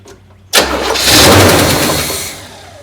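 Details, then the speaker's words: Neglected 1972 Buick Riviera Boat Tail big block, parked 5–7 years and running well when parked, first start on gas mixed with oil poured in: brief crank, then it fires cleanly, flares and settles toward idle; sounds great. Normal start. "boom that's what we like to see and it sounds great"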